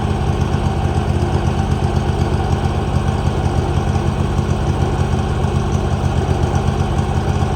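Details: 2018 Hustler Raptor SD mower, Kawasaki FR691V V-twin, just after head gasket and valve seal replacement, shroud off, warm: settles into steady even idle with low throb, no knocks or misses; healthy.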